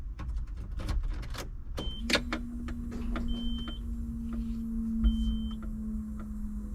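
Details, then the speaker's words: 1995 Nissan Pathfinder XE six-cylinder, first key-on after replacing the timing belt, water pump, thermostat, belts, plugs, coolant and oil: a steady low electric hum for about five seconds beside dash chimes, which is the fuel pump priming normally before the start. "fuel pump kicked on all right just pushing the clutch all right here we go let's listen carefully"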